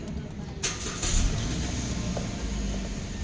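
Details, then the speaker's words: Hyundai Picanto automatic after throttle body cleaning, previously weak pull and misfiring with RPM fluctuating in reverse; engine starts quickly, settles into steady even idle, RPM now high and stable in reverse and drive, normal start. "Yan, tapos reverse. Mataas na. Ayan. Okay na siya, tapos drive."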